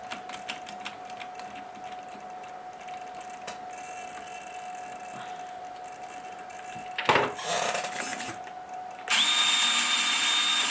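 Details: Wraith at full steering lock: steady motor whine with light, fairly regular clicking from the driveline, then a loud high rev; drivetrain clicking at full lock.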